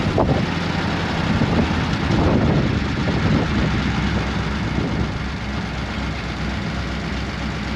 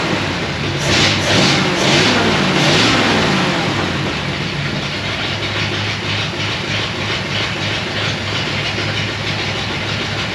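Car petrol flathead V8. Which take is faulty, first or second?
first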